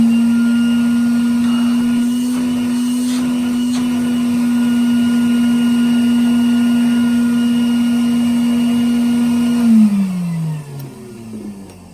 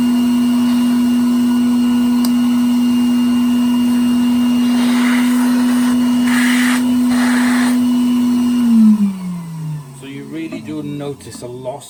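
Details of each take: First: Restored 1961 Bylock coffee table vacuum cleaner motor after repair, bag inflating: smooth, steady hum at an even pitch for about ten seconds, then a clean wind-down at switch-off; it sounds much better than before, a healthy motor. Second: 1961 Bylock coffee table vacuum cleaner: a steady high motor whine runs evenly, then winds down at switch-off; suction is weak because the old hose leaks air, and adding tubes loses even more.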